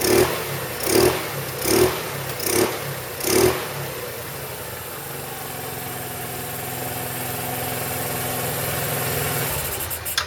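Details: 2008 Roketa Sicily 150 scooter after repair: five quick throttle blips, each rising and falling cleanly, then a smooth steady idle with no stumbling; running beautifully before reassembly.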